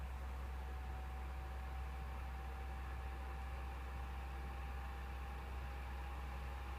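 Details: PS4 idling on the MGSV title screen: steady loud rushing whir with a thin constant tone and low hum, no speed change; fan running loud while idle, owner unsure whether it needs replacement.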